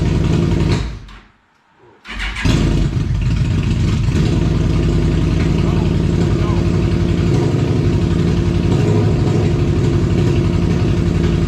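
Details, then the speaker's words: 2002 Yamaha Venture Midnight Edition touring motorcycle, fully reassembled after fuel pump, fuel filter, battery and clutch bleed work, restarted after battery went dead from key left on: cranks, catches after a short pause, settles into steady smooth idle, no leaks; healthy. "but the motorcycle is done you guys all heard it running and uh it's fun it's good it just sounds so awesome no leaks"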